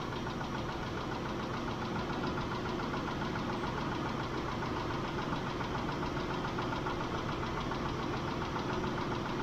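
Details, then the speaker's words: Mitsubishi Montero Sport 6G72 V6 idling, about 5 minutes after adding Liqui Moly lifter additive and warming toward 80°C: a light, quick ticking persists. Possibly only one hydraulic lifter is still tapping. "Они всё ещё стучатся . Вернее, возможно, стучит только один раз — слышен лишь одиночный стук."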